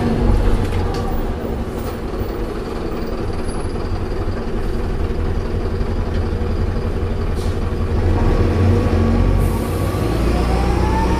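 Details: Optare Solo bus V263DRC slowing down: heavy diesel rumble with a whining note that bends and shifts pitch late on. Abnormal gearbox noise on deceleration, cause unknown.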